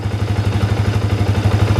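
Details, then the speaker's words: Yamaha New Vixion single-cylinder idle after installing slipper clutch and refilling oil; even thump about eight pulses a second, smooth, not rough; normal idle. "Nah, ini adalah suara idle dari motor saya yang sudah menggunakan silver clutch. Jadi kedengarannya itu memang cukup halus ya, tidak begitu kasar."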